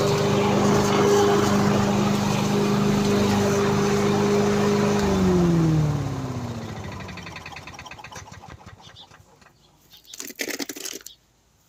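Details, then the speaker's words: Victa petrol lawn mower after repair, blades refitted, previously stuck at full revs with throttle not adjusting: steady, even drone for several seconds, then pitch drops smoothly as it is shut off; runs cleanly, normal running. "thank you everyone my mellow works and I'm really happy"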